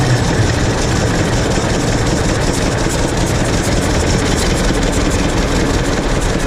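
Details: 1926 Hart-Parr 16-30 tractor, first run in over a decade after six months of work; loud, even, low-pitched engine beat holding steady without misses or stumbling, running properly.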